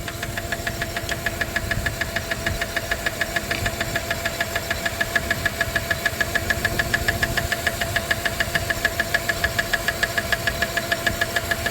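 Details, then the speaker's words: 1997 Dodge Caravan LE at idle after a rod and main bearing replacement, running on five cylinders; sharp even tick about 200 a minute, heard up top and near the oil pan. Owners conclude a lifter or pushrod, though a rod was considered. "it's definitely a lifter it is yeah a lifter a push R"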